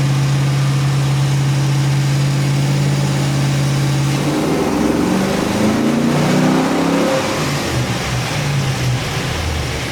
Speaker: So that was just like a half pull there, just to kind of see where we're at, as far as making sure that the car is running really good. There's no misfire, anything crazy before we do the full pull.